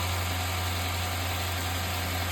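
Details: 2015 Chrysler 300C 5.7 Hemi V8 with five-speed NAG gearbox, first start after engine rebuild of a damaged journal: deep, steady V8 hum, even low drone, no knocks or ticks; smooth healthy idle, check engine light on.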